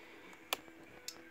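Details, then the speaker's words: 1988 Yamaha BW'S Japanese-market scooter, engine running: turn-signal flasher gives crisp mechanical clic-clac ticks about every half second, roughly 107 a minute, not an electronic beep; normal flasher relay clicking. "Donc le clignot, c'est pas un bip bip, mais c'est carrément le clic clac clic clac."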